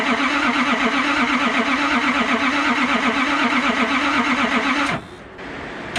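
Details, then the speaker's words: Nissan Patrol RD28 diesel after cylinder head refit, very cold day, pump primed and glowed several times: even, steady cranking for about five seconds that never catches; crank no start, same as before. "alright guys so unfortunately the Rd does not want to run it's doing the exact same thing that it did last time when I wouldn't start"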